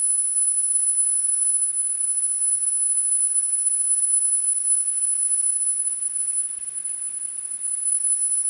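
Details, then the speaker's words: Pioneer CT-W205R double cassette deck after service, azimuth alignment: steady, clean, very high-pitched 10 kHz test tone holding even throughout; treble reproduced properly. "so this is where we want us with this real high frequency"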